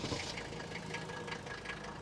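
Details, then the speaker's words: 1984 Mercedes-Benz 300D diesel with glow plugs, 250,000 miles, very little blow-by, starting right up after glowing and settling into a steady idle; even, hard tractor-like mechanical clatter over a rumble, regular and healthy. "they crank into life. Now, these engines are very mechanical sounding, and they almost sound like tractors, but check this out."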